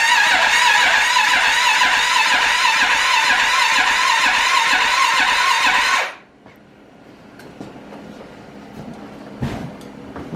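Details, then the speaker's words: Arctic Cat 650 H1 ATV, rebuilt after a wreck, first start attempt; the display showed an "E" code. Even starter cranking at about two turns a second for six seconds to build oil pressure, with no firing; fuel is present and the owner suspects a bad ignition module: crank, no start. "i'm just gonna crank a little bit try and get a little bit oil pressure it will crank but not"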